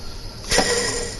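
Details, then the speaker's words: 1992 GMC one-ton truck with 400,000 on it, belt off, AC compressor pulley spun by hand gives a rough, gritty whir with a metallic ring from a worn bearing; idler also bad and tensioner loose. "you hear that AC bearing is not very good give it a spin"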